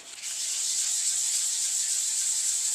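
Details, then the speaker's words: Harley 883 Iron belly pan being wet-flatted with fine paper, 800 grit judged too coarse for edges: soft, even, high hiss with no coarse scratchiness, fine paper running cleanly on a nearly finished painted surface; normal fine-grit wet sanding. "But this 800 is still too gritty, too coarse to touch edges with. 1200 grit's okay once it's had a little bit of welly."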